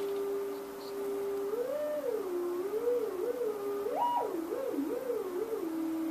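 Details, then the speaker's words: Kustom K200a (J595) speaker cabinet found with back screws out, drivers feared blown: audio generator tone sweeping up and down cleanly through both drivers, no rattle, buzz or crackle. Drivers work. "That's cool. That's really high frequency. This should be really low frequency."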